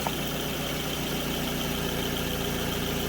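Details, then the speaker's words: 2006 Scion tC after alternator replacement, battery 98% charged: even steady idle hum, no ticking, whine or stumble; charging just over 14 volts running. Normal idle. "We're up over just over 14 volts with it running. So that's a big improvement."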